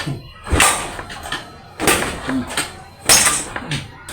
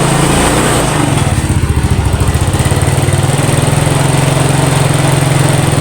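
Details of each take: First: Yamaha Mio scooter engine that dies and lost compression; cranking with oil squirted into the spark plug hole and the hole covered by finger: sharp strong air puffs about every 1.5 seconds, sign of compression leaking past rings. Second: Yamaha Mio scooter after compression-loss repair and spark plug cap refitted: single-cylinder engine catches and settles into a quick, regular, even putter at idle; normal running, some smoke afterward.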